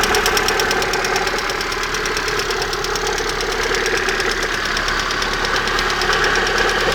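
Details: Engine idling with a sharp even ticking knock about three per second near the exhaust manifold; cause unknown, owner asks what it could be.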